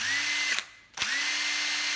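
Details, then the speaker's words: Used cordless impact driver with a damaged, chewed battery terminal, tested on the regular test battery: two short runs with a steady, even motor whine, clean start and stop, no rattle or grinding; ugly outside but runs very smoothly. "êm râ luôn ngoại hình thì xấu nhưng mà máy rất là êm nha mọi người máy êm râ luôn nè"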